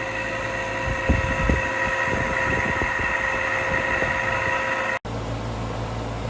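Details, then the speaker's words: Air handler fan motor at a friend's house before replacement: steady droning hum with irregular knocks and thumps early on, from the worn, failing fan motor. "This old guy DIY video has to do with replacing the fan in the air handler at a friend's house, so you can hear how this thing sounds right now."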